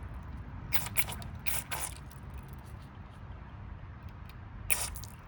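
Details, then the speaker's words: PCV valve from a 2013 Honda Civic with about 136,000 miles, after cleaning: a few light, sharp ticks when shaken; the check valve moves freely and is not stuck. "Clean, and you can hear the valve ticking. So that means it's good. You definitely hear it clicking more."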